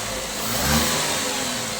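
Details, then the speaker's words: Tata Tiago petrol engine started on a service battery after wiring check; shorting battery had blown the ACM: steady roar swelling under a throttle blip and settling back, even and smooth, running normally. "तो देख सकते हैं friend, अपनी गाड़ी बढ़िया तरीके से start हो गई है, और अच्छी तरीके से वायरिंग भी देख ली है हमने।"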